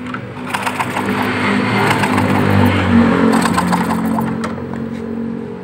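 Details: Motorcycle that died suddenly and won't start: starter churns at about 214 turns a minute with no firing at all; engine cranks but won't catch, ignition output checks show nothing coming out; cause suspected, not confirmed.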